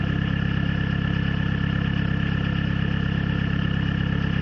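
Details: Peugeot/Citroën XUD diesel cold idle with a lumpy, uneven beat; misfire caused by a faulty glow plug and weak battery, stops once engine reaches temperature; battery replaced and runs fine again.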